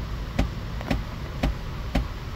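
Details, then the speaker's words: 2011 GMC Acadia during HVAC actuator recalibration after clearing codes (B0413, driver's vents stuck on heat): sharp regular clicks about twice a second behind the dash; fresh air/recirculation door actuator suspected of skipping at one spot, not calibrating fully. "that's probably the fresh air door that's sad because this thing may not calibrate all the way because of that it can't get past that that one spot"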